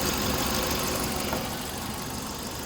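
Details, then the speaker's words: 2011 Kia Soul idling during A/C recharge: a faint added whir as the A/C compressor starts turning, with high-side pressure around 60–75 and low side around 68; an even hum with no knocks or squeal. "And I can hear the AC compressor is now turning."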